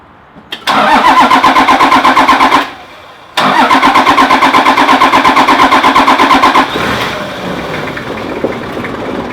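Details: Toyota Land Cruiser 1HZ/1HD-T/1HD-FTE diesel started after a timing belt change and tensioning: two cranking bursts with even compression beats; the second catches and settles into a steady, smooth idle, running normally.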